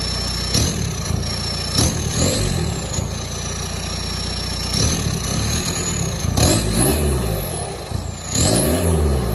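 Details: 1999–2005 Volkswagen Jetta after a catalytic converter and muffler delete, fitted with 2 1/4" straight pipe. A deep, raspy note with sharp revs rising and falling over a rumbling idle; unmuffled and running fine.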